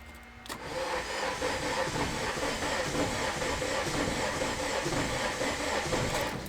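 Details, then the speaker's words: Acura Integra running K-Tuner, start attempt after MPR coolant tank and timing chain tensioner install: starter cranks steadily at about four turns a second, engine never catches; crank-no-start, first blamed on K-Tuner, found to be a faulty MAP sensor. "so something's up all right well I found out the problem turns out it was partial K tuner giving me problems trying to load the maps but it turns out it was a map sensor that was actually the problem"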